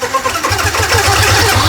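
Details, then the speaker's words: Yamaha R15 at 26,000 km: engine fires and runs while a harsh metallic starter whir continues after the button is released; starter not disengaging, one-way starter clutch bearing on the magneto suspected jammed. "Walaupun kita dah start, dia still start tau. Masih berjalan. Starter tu masih bergerak."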